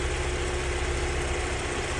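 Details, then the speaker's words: Mk1 Vauxhall Cavalier after a crank sensor wire shorting on the rocker box caused hunting; wire taped and rerouted outside the head: smooth, even idle, no hunting or surging. Sensor has an internal break, replacement planned. "I did put it back in and it started to hunt again. There's obviously a break internally in the sensor, so we get a new crank sensor for it. But yeah, it's running all right now."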